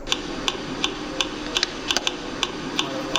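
Sharp, regular ticking knocks, roughly three a second, from a shock absorber over a faint steady hum.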